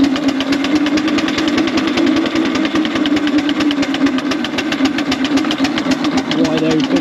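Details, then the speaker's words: 4-inch Foster steam traction engine "Dolly", winter steam test after boiler retubing, working under load at only 55-60 lb pressure; deep, even chuffing beat about ten a second, steady rhythm; singles quite deep, normal exhaust. "only got 55 60 lb on so it make her work so she should sound quite good singles quite deep"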